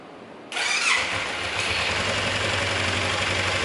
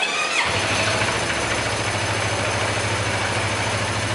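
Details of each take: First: Motorcycle engine after repair work, bearing knocking gone: catches and settles to fast idle with busy metallic clatter remaining, not from the bearings; consistent with a worn balancer gear pair. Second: Motorcycle started after an engine teardown in which the tensioner was adjusted and the balancer gear was replaced: it fires at once and holds a smooth even idle with only airy intake noise; the earlier rattle is gone.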